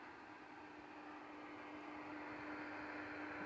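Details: Icom IC-7300 receiver with the antenna disconnected, RF gain at minimum and audio at maximum: only a soft, steady hiss with a faint low hum. This is the normal noise of the audio amplifier alone.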